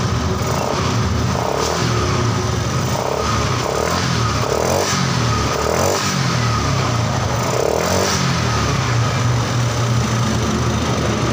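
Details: Yamaha Xeon GT 125 injection scooter that died suddenly while riding, flashing 39 MIL blinks; piston rings were fine, fault was electrical (miswired yellow cable); after fix it runs steadily, blipping and settling without stumbling; normal running.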